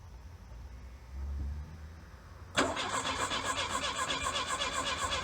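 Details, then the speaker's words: 1982 Plymouth Reliant, low mileage, dormant 29 years, brake cleaner sprayed in: the starter cranks steadily at about four turns a second and never catches; a crank-no-start with no spark found, so ignition parts are needed. "I don't think we have any fire I think we got none sparking"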